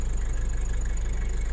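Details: Nissan Terra diesel (same engine as Nissan Caliber), warm, idling steady and even with a smooth beat, no knock or rattle; oil spits at the dipstick tube from crankcase breathing but no heavy smoke, so not blow-by; healthy engine.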